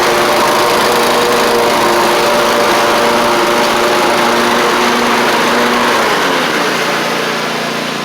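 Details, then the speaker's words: Troy-Bilt zero-turn mower, 2 years old, Kohler 24 hp 7000 series V-twin, after fixing fuel delivery (water in fuel, badly installed replacement carburetor): strong even buzz at steady speed, easing off at end; running normally after repair. "Otherwise, you can hear it's running good. I get it out of the garage. Test it out here. Sounds good."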